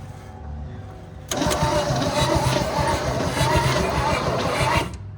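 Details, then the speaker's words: 1972 GMC C10 pickup that sat for years, after fixing the battery cables and adding a ground wire: strong, even cranking at about four turns per second for over three seconds with no firing. It has no spark, and the distributor is to be fixed or replaced with an HEI. "It turns over good now, but I don't have spark."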